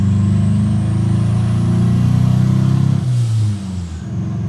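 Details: Turbocharged Honda Accord F23 petrol engine misfiring at idle and everywhere, lumpy uneven pulse stumbling as revs build; customer complained it breaks up entering VTEC; misfire followed swapped coil pack, confirming a faulty ignition coil.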